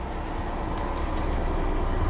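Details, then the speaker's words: Whirlpool WTW4800XQ4 top-load washer (complaint: banging, tilted drum, broken suspension shock), diagnostic test: clicking as the shifter moves from agitation to spin, then a steady even low spinning rumble with no banging. "Now, you can hear some clicking sounds. That means the shift is changing his position from agitation to spin."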